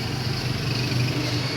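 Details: Sakura AV-735 amplifier, previously repaired, controls replaced, no input connected: steady low mains-type hum from the speaker alongside crackling; amplifier hum, source not yet pinned down.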